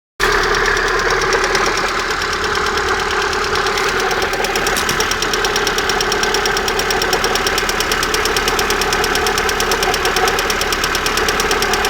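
Engine running steady with a quick, fairly uneven light knocking, about two per second, around the exhaust manifold; cause not pinned down.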